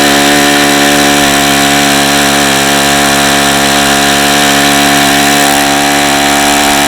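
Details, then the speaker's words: Saito FA-45 original ringless ABC two-piece-head four-stroke model engine (suspected bad bearings) on 5% nitro with an OS F plug, already very hot at full throttle: a steady loud buzz with no rise in pitch, only about 8700 RPM where it should run well over 9500; a tired, worn engine. "I see the engine feels really hot already and it was only running at 8700 RPM and this engine should run well over 9 9500"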